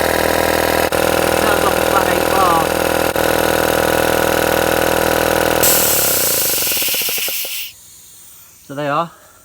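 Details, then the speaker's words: Three-phase air compressor run from single-phase 230V through a variable frequency drive, refilling from below 5 bar: steady loud pump chatter and constant motor drone, then a clean cut-off by the pressure switch; it is fully functioning. "so I am quite pleased to say that we have now got fully functioning three phase compressor working off a variable frequency drive"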